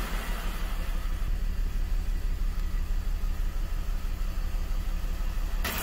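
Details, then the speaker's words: BMW E39 530i Touring with code P1343, idling after the faulty ignition coil was swapped from cylinder 1 to 2: low, uneven idle with a recurring stumble, misfire now on cylinder 2, smooth-running value near 10, confirming a bad coil. "hope you can hear the engine misfiring so it's misfiring on cylinder 2"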